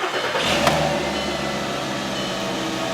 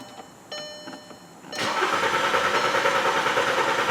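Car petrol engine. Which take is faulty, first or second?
second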